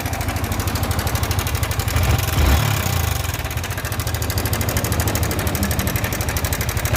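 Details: Yamaha R15 motorcycle idling: sharp rapid metallic ticking clatter on every firing beat, loud over the exhaust; abnormal engine noise, source still undetermined.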